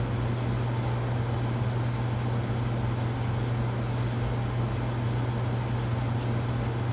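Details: Casablanca Panama ceiling fan (K55 style) after bearing replacement and new flywheel, downdraft, low speed: steady low hum with soft even whoosh, no grinding, ticking or wobble; normal running.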